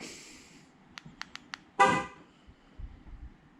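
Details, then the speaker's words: 2012 Dodge Ram 1500 Hemi, remote start enabled via AlphaOBD after new hood latch, truck on lift after sitting a few hours: fob clicks, then only one horn chirp and no cranking; remote start still not engaging. "okay yeah as you can hear you can hear there still just the one beep"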